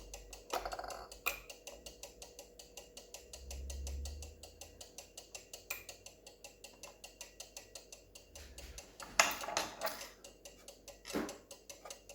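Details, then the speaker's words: Cuckoo clock movement after the bellows is reattached, run with the pendulum off for easier work: rapid, even ticking far faster than a normal beat, the escapement running away because the pendulum isn't hung. "As you can see, the pendulum is going too fast because I haven't got it on. The pendulum is off, so I can work a little bit easier."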